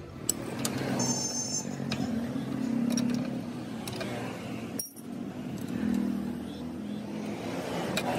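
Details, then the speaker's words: Royal Enfield Bullet with a loose drive chain: uneven slapping rattle over the engine, louder with throttle, as the slack chain hits the brake rod; fixed by tightening to 1–1.5 inch free play. "And the chain should not touch this rod. So in the rod pogudilla the rod, so in the rod la vande chain vande touch aagakudadu. Can you hear the noise?"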